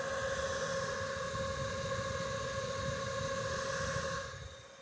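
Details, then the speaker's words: Jackery 1500 power station (1800 W inverter) charging about 100 W: cooling fans come on almost at full speed with a loud, steady rush and a fixed-pitch whine, then wind down. Fans are loud and unpleasant even at light load. "it basically comes on like almost like a full speed um just charging a little a little over a hundred Watts out of this inverter right so um yeah this is like extremely annoying and unnecessary"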